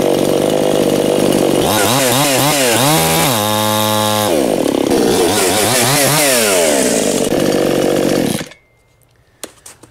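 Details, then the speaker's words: New Anbull chainsaw breaking in, chain brake set: revs up and down repeatedly, winding freely before cutting off; the saw overpowers the chain brake, which is not holding. "it's interesting this saw has enough of power to um overpower the chain break but you know if that engages you know you're pretty much off the throttle eventually"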